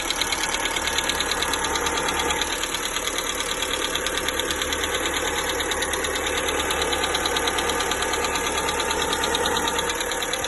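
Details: 1.4 MPI petrol (Polo/Ibiza/Fabia), cold start: quick, even light top-end ticking about three per second, began ~500 km after oil change, lasts up to 5 min; new lifters, rockers, oil changes didn't fix it; cause unknown.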